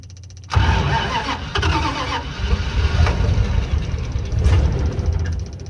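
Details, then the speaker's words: Kaiser M715 truck cold-started after sitting two to three months, on a near-minimal electrical system with an electric fuel pump from a tender tank and a weak old battery. It cranks briefly, then catches and runs unevenly with surging revs before settling. "It's been several months, probably 2 or 3 since I started this old truck. That old battery's about dead."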